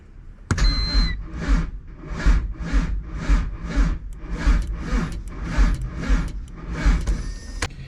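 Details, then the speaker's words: B20 VTEC Honda Civic wagon after sitting about a year: slow, laboured cranking of about two turns per second that never catches; the battery is not fully charged and too weak to spin the starter properly. "It just needs like full juice to really crank that starter over, but um it does that little light crank when the battery's like not fully up to par, but dude, it it cranks."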